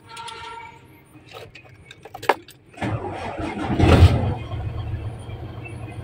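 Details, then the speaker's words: 6M70 double-EGR diesel (single-EGR pressure pump and injector design) with a hard-start complaint; it starts without contact cleaner, catches and settles into a steady, even low rumble with no misfire, and no check-engine light shows. "So hindi ko na ginamitan ng contact liner mga ka-disel. Aandar na siya."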